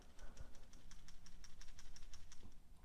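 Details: Brand-new Subaru PCV valve for a 2014–2018 Forester 2.5L non-turbo, shaken by hand for comparison with the clogged, oily old valve; crisp, quick rattling clicks about three a second show a free-moving check ball, a healthy valve.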